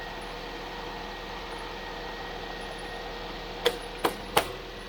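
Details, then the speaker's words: 2014 Chevy Sonic 1.8L after replacing the valve cover with its integrated PCV valve, the cause of stalling and codes P2270/P0171: a quiet, steady, even idle with no hiss or vacuum leak. Normal idle. "Start it up. Let's see how it runs. Sounds better."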